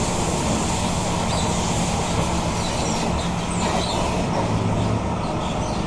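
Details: SMRT Kawasaki Heavy Industries C151 train 075/076, recorded in car 1076 A1/B1, Boon Lay to Joo Koon: steady rolling roar with faint uneven metallic rattle as the train decelerates; also sometimes heard at high-speed acceleration, strong burning smell, regenerative braking still working.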